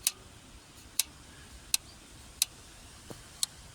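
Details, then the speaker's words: Jaguar XKR (X100) throttle cable at the throttle body, engine off: sharp single ticks about once a second as the throttle cam snaps back onto its idle stop, which is normal; the cable still has excess slack that needs adjusting. "so the click that's in its rest position so it's still got to be able to do that so once we've done the adjustments we still want it to make that sound okay but we want to take the slack out"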